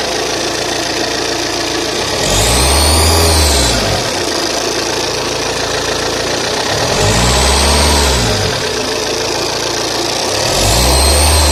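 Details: Saab 9-3 TTiD diesel idles, then each throttle blip brings a rising and falling surge with a hissing whistle; noise on acceleration, cause unknown.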